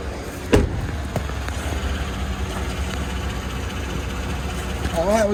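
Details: GMC Yukon just after fuel feed line repair and fuel tank reinstall, checked for leaks: steady, even low idle rumble with a couple of light handling knocks, smooth with no irregular beat, normal idle.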